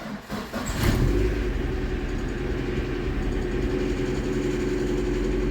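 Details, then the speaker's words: VAZ-2112 16-valve injection engine, first start after replacing the injector seal and filter kit and intake manifold gasket to cure an air leak: quick crank, catches within a second, steady idle with no hunting or stumble; idle speed unchanged. "I didn’t notice any changes in the idle speed."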